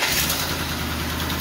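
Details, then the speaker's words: 400ci small-block Chevy auction find, started on jumper cables: V8 catching and idling rough with light rapid ticking over the exhaust note; judged to need a timing chain badly. "this thing needs a timing chain [Music] real bad if you can hear that clicking"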